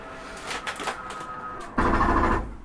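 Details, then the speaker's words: Catalina 323BHDSCK, rear slide being brought in: a steady electric motor whine, then a louder gear drone as the slide pulls in, with no clunks or binding; this noise is normal slide-out operation. "again that noise is okay we're bringing the back slide"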